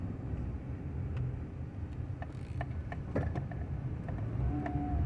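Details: 1995 Honda Accord, about 339,000 actual miles, rolling downhill off the throttle: steady low growl under the road rumble, apparently from the front. No vibration, and the noise is absent under gas or uphill; source unidentified.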